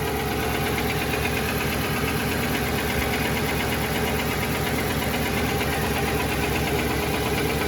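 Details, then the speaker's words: 2018 Nissan Titan Platinum Reserve V8, mic above driver's front wheel, cold-to-warm idle with climate control on: uneven hollow knock about twice a second, louder when fan/AC clutch engages, gone when revved; dealer scope found piston slap in cylinder 7, new short block planned. "It's a V8 and I'm not sure whether I have the dreaded knock from the piston slap in cylinder 5 or 7, but this morning I did start to hear a bit of a tick or a slight knock."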